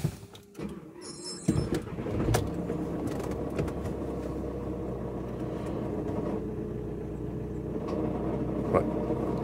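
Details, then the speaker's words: VW Crafter diesel idling after start-up: low, rough dragging grind under the clatter, like a dragged gear, from the auxiliary belt area; noise goes away when revs are raised; faulty auxiliary belt tensioner with damaged aux belt, later replaced. "don't know if you can hear that that sounds like sounds like a sometimes you know when you drag a gear in sounds like that definitely coming from around this area"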